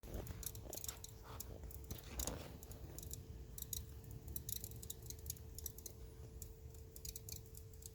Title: 2021 F150 crackling noise after shut-off